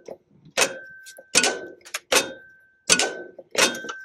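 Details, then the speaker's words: Cub Cadet HDS 2135 riding mower, key in accessory position, PTO lever pulled energizing the electric PTO clutch magnet; sharp clicks about once a second with a brief ringing tone; normal PTO clutch engagement. "If you pull the PTO lever, you should hear the PTO click. It's very audible, and that's a good sign that the PTO itself is working"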